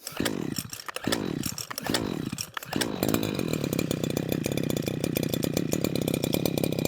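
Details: Husqvarna 123HD60 hedge trimmer, not run for a long while, with new fuel lines fitted. Three cord pulls catch briefly, then an uneven, pulsing buzz on choke that never settles. Carburettor fuel delivery fault; owner suspects the gasket and diaphragm.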